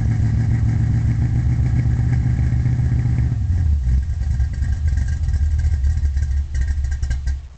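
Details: 1972 Chevy Nova with a small-block V8, solid-lifter cam, Flowmaster exhaust, Powerglide transmission and 10-bolt rear. Heavy low idle with an uneven, loping beat and slight stumbles as it settles; cause not pinned down. Rough idle.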